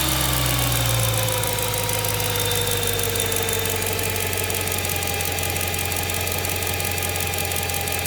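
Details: BMW M3 E92, November 2008, 88,000 km, mostly city driving: fast light ticking at idle, three to four per second, sounding like conrod bearing knock but actually an exhaust manifold leak.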